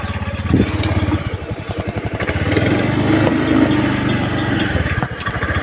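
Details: Honda Beat FI scooter that misfires and stalls: the engine sputters and stumbles with ragged, irregular firing, dipping as if about to die. Fuel pump pressure measured only 35 PSI, dropping to 30, which is abnormal; weak fuel pump.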